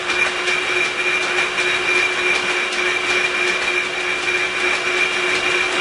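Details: Sibley drill press, newly fitted flat belt joined with number 25 alligator lacing: steady even hum with light rhythmic tick from the lace joint passing the pulleys; belt drive running smoothly without slipping.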